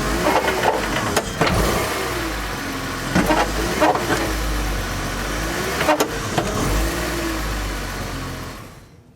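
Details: BMW E46, engine running in gear under partial emergency brake load: irregular sharp knocks every second or two from the rear as the differential moves; thump from worn rear differential bushing or rear subframe mount.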